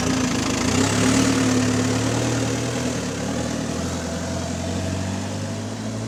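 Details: GAL SEN18 diesel bus on route 386 (XFE conversion) that has gone into limp mode. At idle a steady chuffing pulse of about four per second rides on the engine note. Exhaust leak developing.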